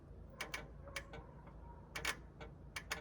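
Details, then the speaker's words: Junk-auction 1972 GMC pickup, key on while connecting battery: faint sharp ticks in pairs, a few per second, from behind the dash; the radio was left switched on. "I might have been the radio really yeah the radio was on"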